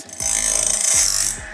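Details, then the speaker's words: Logosol Grindlux band-blade grinder after a small feeding-arm adjustment. A short, bright grinding rasp rises and fades as the disc lightly dresses the tooth face and gullet. Contact is even and the setting is correct. "as you can hear we are grinding a little bit on the face"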